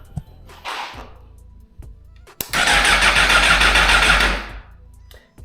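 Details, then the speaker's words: Salvage 2022 Suzuki GSX-R1000R that wouldn't start, old gas still in tank: about two seconds of quick, even cranking that never fires, no fuel pump prime heard; crank no start. "cranks but it doesn't fire. I don't even think I hear the fuel pump priming."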